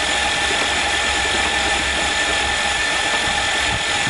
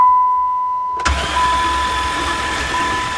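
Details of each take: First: Hydrolocked van engine after driving into a lake, intake manifold off and spark plugs out to expel water: fast, steady whirring crank with no compression beats; starter motor is good. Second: Hydrolocked van with intake manifold off and all spark plugs removed: starter spins the engine fast and smooth with no compression pulses, blasting water out of the cylinders; starter motor good, possible bent rods or cracked pistons not yet ruled out.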